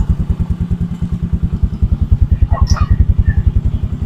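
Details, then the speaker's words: Motorcycle engine running on butane fed to the carburetor: low even putting beat about three to four pulses a second with a clear exhaust thump, runs steadily, no smoke. "O, tingnan mo, walang usok. O, di ba? Hindi siya umuusok."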